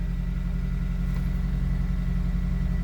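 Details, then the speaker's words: 2003 Honda CR-V, 334 kilometers as stated, after a fuel pump relay replacement cured its crank-no-start: steady, even low rumble at idle with no misses, stumbles or surging, a normal idle. "so this car has already 334 kilometers but it's still running right"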